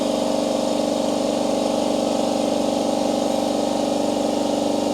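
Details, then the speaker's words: AEG Stealth Drive compressor, filling from 0 psi, mic about 150 mm from heads, 90–91 dB: fast, even pumping chug over steady motor hum, no knocks or rattles; quiet enough to talk over, pressure rising quickly. "You definitely talk over the top of it, so it's not significantly loud. Pressure seems to be coming up fairly quick too."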